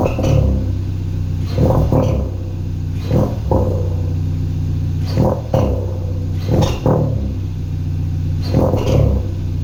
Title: 2016 Hyundai Veloster Turbo Rspec Chirping Noise #automobile #hyunday #veloster